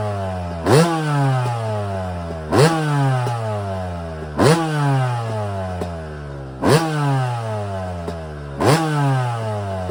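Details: Yamaha YZ250 two-stroke first start after frame-off rebuild, complete top end, carburetor rebuild, new Pro Circuit exhaust: crisp idle blipped to sharp revs about every two seconds, clean pickup and quick fall back; running healthy.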